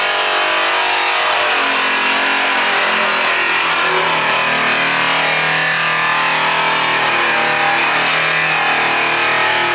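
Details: High-speed polisher/buffer, pressure raised from light to medium to heavy: loud steady whine whose pitch sags and dulls partway as pressure goes on; bogging and losing considerable RPM under heavy load.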